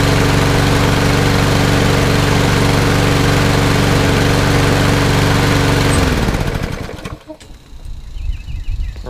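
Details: Toro Recycler mower, Briggs & Stratton EX OHV engine, after flushing water from gas tank and carburetor and replacing the air filter: even, steady putter at constant speed for about six seconds before shutdown; runs cleanly.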